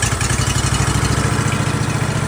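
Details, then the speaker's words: Ditch Witch 1820 trencher after carburetor cleaning, just started on choke: a steady, even pulsing beat with no misses or stumbles, running normally. "We can push our choke in a little bit to let the uh gas running great with no choke. And this is our gas throttle. So completely idle now."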